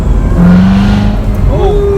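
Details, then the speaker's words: Rebuilt wrecked 2017 Corvette Z06, supercharged, touring mode with rev match engaged, downshifting to second gear on test drive: engine note holds, then pitch climbs in a quick clean blip matching the downshift: normal rev-match downshift blip. "For rev match, you just hit the button one time and the indicator light should turn yellow. Indicates. Yep, That's it. We're in a rev match mode. I'm gonna try to downshift the second gear. Ooh, that revved right"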